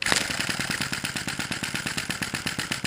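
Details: Sai Hu V1-45 flame-licker vacuum engine on denatured alcohol, cylinder warming after a few minutes, flame sweet spot not yet found: quick tapping beat of small pops, irregular in strength and spacing; uneven running.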